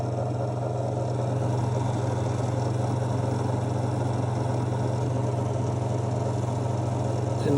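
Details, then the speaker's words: Victron MultiPlus-II 12/3000 inverter under load with fan running: steady low hum with faint fine rattle, gone immediately when the load is disconnected though the fan keeps running; returns with load. Cause unknown. "can hear like a tiny rattling noise and what I can only describe as like a don't really know like a lowle noise as well"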